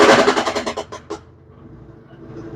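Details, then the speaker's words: Brastemp BWK 13 washing machine, nearly new, owner complained of loud noise when spinning; loud repeated bangs that spread out and fade as the drum slows: heavy banging during spin cycle. "então Esse é o barulho então é um barulho forte Então como ela relatou pra gente falou assim Rômulo é um barulho que eu fico até com medo"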